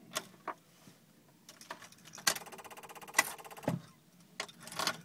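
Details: Jeep WJ no-start: turning key brings fast even electrical buzz-clatter in bursts between clicks, like relay chatter, continuing after key removed; electrical fault of unclear cause.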